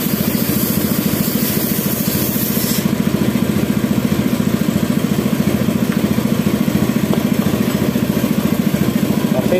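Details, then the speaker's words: Yamaha F1ZR two-stroke at idle after an engine rebuild: even but soft, hollow pulses with no sharp bark, like there is no compression, and the bike has no power; a cracked, previously welded cylinder head was found at the spark plug seat. "suaranya ngempos sekali ya teman-teman seperti enggak ada kompresi mungkin penyebabnya cuma ini teman-teman"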